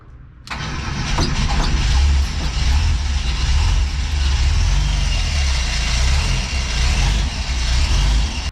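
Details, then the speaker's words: 1977 bus running after 30 years, automatic transmission refilled with new filter and pan gasket; steady idle with a constant airy whoosh over the low rumble; source not yet clear. "come on baby she's on give her a pump okay nope it's still there I wonder what that noise is"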